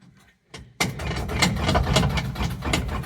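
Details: 1952 Ford F100 pickup being restored, first start in neutral with choke pulled out and pedal pumped: short quiet crank, then it catches within a second and settles into a lumpy but steady rich run; normal cold start.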